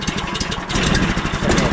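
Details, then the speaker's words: 15 HP Harbor Freight Predator engine newly swapped onto a Frontier OS27 sawmill, replacing a 13 HP Briggs & Stratton, pull-started without battery on first test run: quick even single-cylinder putter settling into a steady idle; running normally. "predator. Just like a predator engine start."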